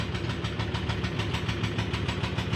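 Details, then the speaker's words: Haier HW100-B14979S 10 kg washer, under 10 months old, light load as a 1400 rpm spin speeds up: rapid, even clatter about seven knocks a second over a low drone from deep inside; owner suspects bearing failure, unconfirmed. "it's just starting to speed up now this is the clattering sound that we've started to get"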